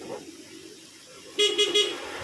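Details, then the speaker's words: Yamaha Mio with starter not engaging, battery check: three short, strong, clear horn toots at steady pitch, horn and lights working so battery is still good. "This in itself is still good because here the horns, lights and other"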